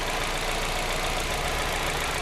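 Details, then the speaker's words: Hyundai Getz 1.4 after overhaul with new pistons and pins, at idle: light, quick, even tapping over the engine; owner suspects hydraulic lifters, injectors, or oil pump gears, unconfirmed; light knock at idle. "вот он состоит нет такого штука весь небольшой стук он где-то в гидриков сущность архитектурных такое"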